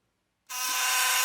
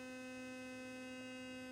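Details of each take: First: Philips Sonicare HX683B sonic toothbrush sent for repair: a harsh, loud, steady buzz, rattly and hissy, with the brush head loose and not cleaning. The cause is suspected, not confirmed. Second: Philips Sonicare HX683B toothbrush, previously buzzing loudly with loose head and not cleaning, after repair: clean steady hum at constant pitch for about two seconds then off, running normally.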